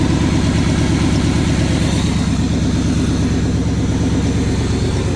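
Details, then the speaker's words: 1980 Chevy K20 4x4 with freshly rebuilt QuadraJet carburetor and new fuel filters, warming up after first start: even rumble with quick regular pulses but noticeably high idle; vacuum leaks to be checked, cause unconfirmed. "Idle's a little high. Let me check for some vacuum leaks and mess with that a little bit."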